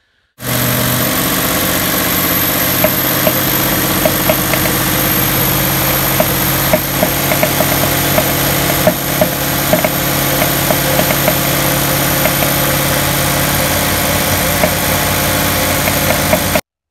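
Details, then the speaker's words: 2018-or-newer Ford 5.0 V8 with direct and port injection, in gear brake-standing at about 1800 rpm under load: irregular backfiring pops once or twice a second; no misfire codes; cause a leaking direct injector seal on cylinder six. "we pretty quickly figured out you could also make it do it in the stall by putting the vehicle in gear and basically break standing it bringing the engine up to about 1800 rpm under load they would start making this backfiring popping noise"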